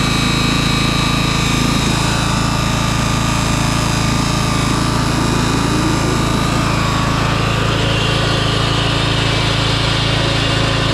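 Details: 2004 MTD Yard Machines Gold lawn tractor, unstarted for months and run on a jump pack. Deck engaged without blades gives a steady, loud engine note and a thin, unloaded whir with no cutting bite.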